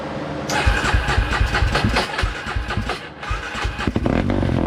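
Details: 2003 Polaris Predator first fire-up after reassembly, having flooded earlier: loose, uneven, lumpy, stumbling running, very rich with wet, smoky exhaust. Possibly a float adjustment is needed, unconfirmed.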